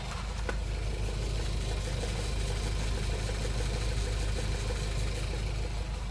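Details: Skoda Kodiaq petrol engine at steady idle: a faint, even tapping under the hum; a knock is present, but its source is unknown.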